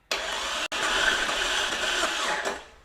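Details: 2000 Jeep Cherokee XJ with an engine older than the Jeep, cranking without spark plugs during compression test on cylinder 6 (reads about 140–145 psi); steady even whirring crank with no stumbles, healthy engine turning over.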